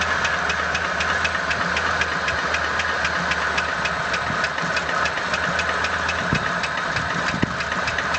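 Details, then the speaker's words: ZMZ 406 engine at idle, knock located around cylinder 4: sharp, regular metallic ticking about five per second over the engine hum; owner suspects the piston pin knocking in the cylinder 4 connecting rod, unconfirmed. "Похоже, как палец стучит в шатуне на 4-м цилиндре."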